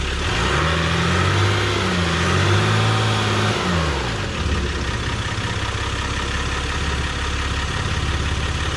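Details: 2023 Jeep Gladiator Rubicon EcoDiesel after fuel filter replacement and priming: the diesel fires, revs up and down a few times, then settles into an even, steady idle clatter; running normally.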